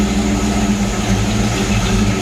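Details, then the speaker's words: 1995 Ford Mustang GT V8 after replacing the gas tank and fuel pump, timing set to about 12-13 degrees: steady, even, lumpy burble at idle with no misses, knocks or ticks. It is running normally. "that's how she goes right there but frickin poop but it's running"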